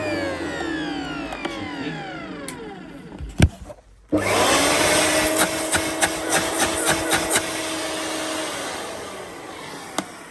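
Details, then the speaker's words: Electrolux Twinstream wet and dry vacuum cleaner, used from a listing: motor runs with loud air whooshing from the exhaust, smells like a new motor; owner suspects disintegrating foam bits cause the noise. "Superbly noisy, but it is working. It smells like a new motor. Ah, there's bits of foam disintegrating. Maybe that's what's causing the air whooshing noise."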